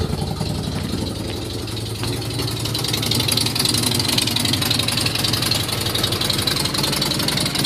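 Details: Nissan Z31 idling on a very cold morning; loud, raspy, unevenly chopping cam-like idle with a ticking puff, caused by the timing belt being one tooth off plus exhaust leaks from a broken head stud, a cracked exhaust manifold and a broken crossover stud.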